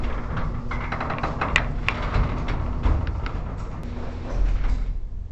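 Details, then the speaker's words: Heavy-duty commercial warehouse garage door running after lubrication: low rumble with scattered light knocks and rattles as panels travel, a mild shimmy attributed to the pusher springs above; door moves normally, won't be fully silent. "So it definitely has like a little shimmy, a little shake to it, and honestly I think in a lot of ways that's just the pusher springs up above doing their job to get the garage door to close."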